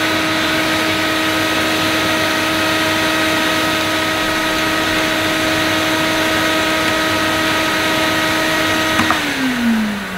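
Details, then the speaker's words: Electrolux Masterlux 3-in-1 vacuum cleaner whose pump was not working: the motor gives a steady high whine at even pitch, then winds down smoothly when switched off. Finding: normal vacuum motor running. "the motor sounds okay i might i could just sell it as it is i suppose"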